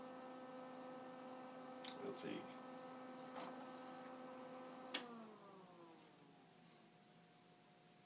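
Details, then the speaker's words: Z-Tech Lt. Kernal Commodore 64 hard drive powered back on: faint steady cooling-fan hum and a winding-down tone, no platter spin-up or head activity; drive not spinning up, cause unknown. "for the moment turn this back on and listen to the cooling fan and not much else at some point i hope this is working"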